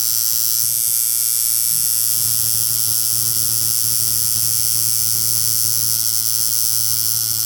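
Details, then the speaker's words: Coil tattoo machine at about 115 Hz, 50% duty, 12 volts, stroke being lengthened, tested on an orange: loud, harsh buzz with a hard rattly edge to every stroke; hitting far too hard. "It is destroying that poor orange, I'm sure. Oh my god, the hit on that is unreal."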